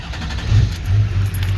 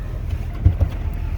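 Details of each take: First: 2001 LB7 Duramax diesel with intermittently sticking number four injector, before diesel purge: idle rises and falls unevenly, about three pulses a second with rough clatter; hunting idle, cause unconfirmed, fuel pressure regulator on order. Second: 2001 Duramax LB7 diesel with intermittently sticking No. 4 injector, after Liqui Moly diesel purge, warm after a drive: deep even rumble with no misses or rattles; smooth idle, owner suspects purge cleaned fuel pressure regulator.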